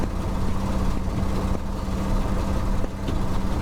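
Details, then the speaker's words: 1969 Ford F-350 original worn FE 360 V8, 4.56 gears, lugged hard: rough drone with sharp backfire pops, cutting out; dead cylinder, owner suspects timing, valve train, bad piston. "456 gears in the back so first gear is really slow if you lug it very hard it starts cutting out"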